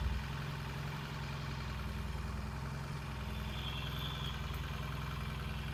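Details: 1968 Triumph T100C twin idling after a cold start: steady, even low idle with smooth regular beat, no knocks or misses; healthy, no oil leaks, charging okay with headlight brightening.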